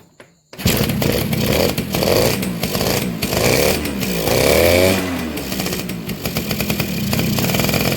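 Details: Two-stroke motorcycle (Suzuki RC110 type) after replacing a hardened, leaking inner crankcase seal that had prevented starting: crisp, rattly two-stroke note that picks up and settles with the throttle and runs without misses.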